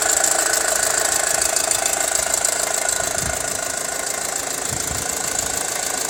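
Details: 2006 Audi A4 2.0 TFSI warm idle after hard driving, about 83 dB at ECU, Mobil 1 5W30: fast even metallic rattle near three per second; timing chain rattle, quiet after replacing timing chain, belt and tensioners.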